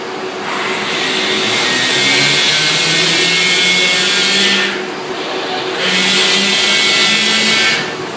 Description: I made this quick video because it will allow you to hear the screech of the LIM and the hum of the drive at the same time.